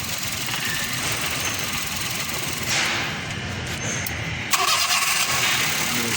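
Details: Honda Zest after tuning, previously misfiring on cylinder 3 with a faulty fuel pipe that was replaced with a new one. Starter cranks briefly and the engine catches cleanly into an even, steady idle: normal start after repair.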